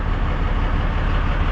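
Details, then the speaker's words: Cummins 12-valve diesel truck just started after long priming crank, no coolant added yet: steady, even low diesel rumble with no misses or knocks, settling into smooth stable idle. "See if it stays running though."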